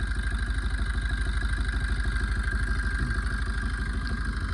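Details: Maruti Swift engine at low idle after coolant ran dry and it overheated and boiled: rhythmic stumble roughly every two-thirds of a second over the hum, one cylinder misfiring from a blown head gasket; exhaust smoke blackening the coolant tank.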